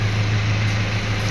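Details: 2001 Kia Pregio 2.7 diesel idling after its fix: even, steady low drone with no misses, knocks or stumbles. It used to hard-start, shake and smoke white; this was cured by replacing one small O-ring seal at a flange.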